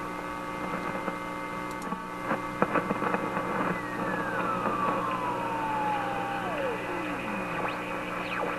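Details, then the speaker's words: Simplex antique vacuum tube radio at full voltage during troubleshooting: steady mains hum with a whistle sliding from high to low pitch as the control is turned; set falling into oscillation and hanging on it. "I think that's the set just falling into oscillation and then when you can back the control up again it hangs on the oscillation"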